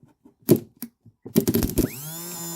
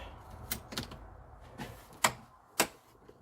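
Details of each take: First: 2013 CF Moto Z6 UTV starter motor on the bench after cleaning the windings and brush material: a few handling clicks, then a quick whir rising to a steady even hum; spins freely and normally. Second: 2013 CF Moto Z6 after starter motor brush cleaning and reinstall: irregular sharp single clicks with no cranking; owner then traced it to bad battery connections.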